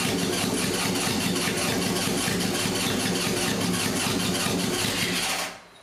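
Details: Barn-find 1978 Honda CB750K with a rebuilt engine on choke, after a spark plug wire was repaired: the starter churns about five seconds without catching cleanly, then cuts out. Hard starting with fuel mixture suspected; the idle mixture screws were later set to 1.5 turns.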